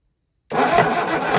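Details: Used boat engine bought for a 1967 Mustang fastback conversion: catches but runs ragged and lumpy, as if only half the cylinders fire, from a wrong firing order; owner feared a noise in the oil pan.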